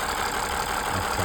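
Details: Old high-mileage engine driven 18,000 km without an oil change, oil thinned by blow-by gas: fast even light ticking about six a second over steady idle, swelling and fading; top-end valve tick and clatter blamed on thin oil.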